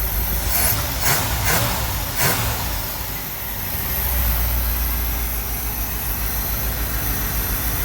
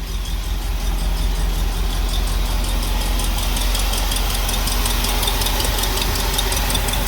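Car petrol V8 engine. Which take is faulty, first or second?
second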